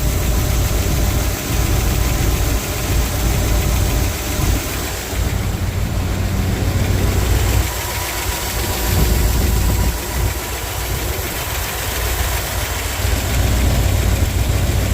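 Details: Squarebody truck engine after a Sea Foam treatment: a loud rough idle with a faint fast tick, about three or four per second, coming and going. Valvetrain ticking suspected on the driver's side bank, valve cover not yet removed.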